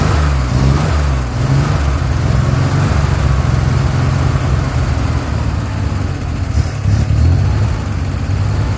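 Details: Chevrolet Corvair Rampside, brought back after 15–20 years in a barn: catches and revs up and down freely, rough but continuous rumble, no knocks; running.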